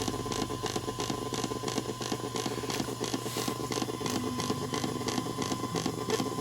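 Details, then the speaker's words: PC front-panel earphone jack with a phone charging from the front USB port: hissing buzz with fast uneven ticking about three per second. It is interference from non-constant current as the phone's charging circuit regulates its draw from the 5 V supply. "잡음이 난다는 것은 지금 요 길에 흐르는 전류가 일정한 전류가 아니라는 것을 의미합니다"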